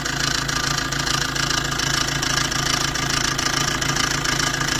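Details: Maruti Dzire at idle, heard near the engine: loud, fast clattering rattle, about three to four beats a second, over the engine hum, from a worn timing chain set due for replacement.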